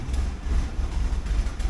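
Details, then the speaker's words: 1979 Porsche 924, K-Jetronic fuel injection, just started cold: low, lumpy, uneven idle that surges and stumbles, burning very rich because the warm-up regulator acts as if it's 40 below; smooths out once warm; new WUR spring on hand. "spring for the warm-up regulator. You can see that thing's burning very rich, so it hasn't got itself sorted out for temperature-wise. It thinks it's like 40 below or something."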